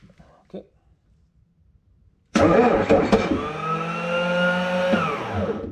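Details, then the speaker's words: Bobcat wheeled skid steer loader with an intermittent starter engagement problem, starter tapped with a hammer first: after silence, a fast, free whirring rises and fades with no cranking rhythm; the starter spins without engaging. "tated but this guy didn't want to engage all right and as you can see here it was tap tap tap with something heavy like a hammer or a big adjustable wrench and see if we have luck to F it up"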